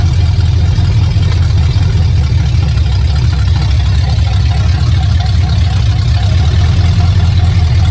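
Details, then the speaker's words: Truck project moving under its own power for the first time, transmission just refilled, brakes weak: loud, deep, raw rumble with a fast steady pulse at idle and no muffling; open headers with no exhaust fitted. "You will probably not be able to hear me over the sound of the open headers when I'm in the truck, but let's take some video of this thing inching along here."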